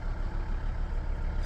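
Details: Volvo V60 D3 diesel with hard starting, often starting on second attempt and losing power under acceleration: steady, even low idle rumble with no knocks or misses, just a brief click near the end; idle sounds fine.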